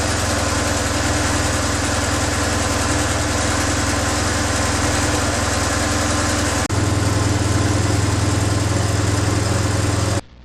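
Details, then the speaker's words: BMW R1100/R1150 boxer twin at idle during throttle body synchronisation with a Twin Max, idle adjusted up: smooth, even idle that steps up slightly and holds steady without hunting; balanced, healthy idle. "I also will adjust the to get the idle up to the 1,00 plus 150."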